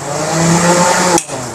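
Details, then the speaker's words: Air cooler main motor running after rewiring the motor and pump connection; steady electric hum with a few clear tones, even until switched off; motor working properly. "ये देखो यह मैंने main motor का रखा था तो ये motor जो है प्रॉपर काम कर रही"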